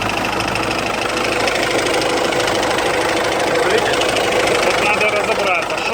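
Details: Hyundai H-1 Starex I 2.5 turbodiesel idling with a dull knock under the diesel clatter, heard from below: the crankshaft pulley bolt had come loose, damaging the pulley keyway and its seat; fix is a new bolt torqued properly with Loctite 243.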